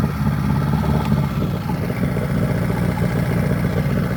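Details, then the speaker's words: Outboard on a 1964 Glasspar boat, throttled up in a test bucket; an even, steady note with no knocks, stumbles or misfires, though it loses prime if left overnight: normal running. "So I'm going to throttle up. As you can see, it runs pretty decent, no misfires."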